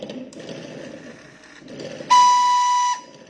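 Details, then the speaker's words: Honda Air Blade 2016 electronic fuel injection scooter, fuel pump motor heard priming with key on: a steady, even whir at one high pitch for almost a second, then a clean stop; normal fuel pump priming. "chúng ta nghe hai lần nữa mà không phun không bơm thì cái mô tơ bơm này nó kêu như vậy"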